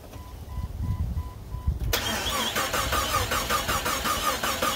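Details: Police-model Jeep Cherokee XJ, first start attempt in 6 months; starter cranks steadily, about two or three turns a second, without firing; suspected failed brand-new aftermarket crankshaft position sensor.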